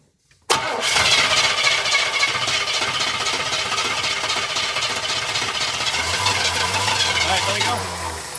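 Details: 1981 Pierre Cardin Evolution 1 with loose distributor and timing drifted, distributor adjusted while cranking: steady cranking about four turns a second but never catches; no start from incorrect ignition timing.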